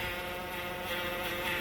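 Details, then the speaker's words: Towed-in Chrysler 200 with a transmission complaint: a steady high, hummingbird-like transmission whine slowly easing off. It is not the A/C. The car won't move in gear when the gas is pressed. "sound like a hummingbird ladies and gentlemen that is a transmission wine okay look it's trying to go away"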